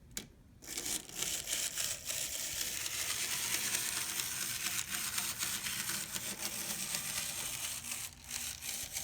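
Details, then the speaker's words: Older Bachmann 0-6-0 model locomotive with a three-gear drive: thin, harsh rasping from the tiny motor with irregular stutters at low speed. It can't run slower because the broken gears keep binding. "it can't run any slower than that because the gears keep binding because they're broken so stay away from these older ones"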